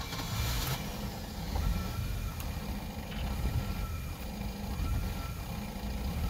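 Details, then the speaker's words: Boat engine with Holley Sniper EFI, hot restart, idle set to 20 percent: low idle rumble swelling and sagging about every second, running lean at start-up before swinging rich; surging idle from lean mixture. "it's a little bit surging that's real lean on start up there for a little bit"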